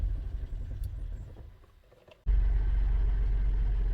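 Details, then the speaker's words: 2017 Buick Enclave with water in fuel tank after boat launch, after adding five gallons fresh gasoline and gas-line antifreeze; cranking then catches with deep uneven idle, misfire and flashing check engine light while water purges from injectors. "there it's running again you're gonna let it run and just idle hopefully Purge the injection lines starting to miss flashing check engine light indicates a misfire but that's to be expected until it's fuel rail purges"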